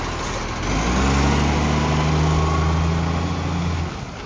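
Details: Garbage truck from 2010 described as having a severe exhaust leak: deep diesel drone with a rough, throaty edge under load; loud exhaust, leak location unconfirmed.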